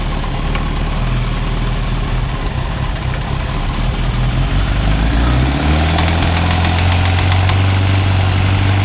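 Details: 1991 Kawasaki ZZR1100 bought as spares or repair, being revived: loud idle with fairly regular tapping, about four a second, over the engine beat; abnormal noise, cause unknown.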